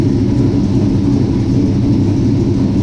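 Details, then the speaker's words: 1967 Chevy C10 V8 with Holley Sniper fuel injection, first start after coming off jack stands; deep even rumble with no misses, pops or knocks, starts and runs well; transmission fluid noted low. "Man, that thing starts good and sounds good running."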